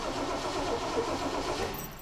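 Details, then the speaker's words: 1969 Ford Mustang Mach 1, stored over 20 years ("ran when parked"), cranked with coil wire disconnected to build oil pressure: even starter churn for a couple of seconds, never catches; cranking no start, ignition deliberately disabled. "We're going to spin it over, minus coil wear, so it does not try to fire, but at least kind of spin things around and get some oil pressure going."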